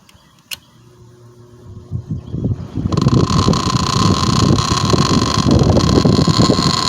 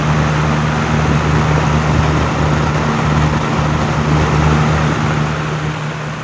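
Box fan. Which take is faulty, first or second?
first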